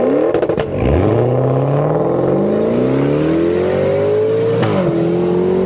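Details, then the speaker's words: Maserati Quattroporte GTS, Ferrari F154 530 hp twin-turbo V8: deep smooth V8 roar climbing cleanly through the revs, no knocks or misses; a healthy-engine reference sound. "the V8 in the GTS makes 530 horsepower and sounds like this"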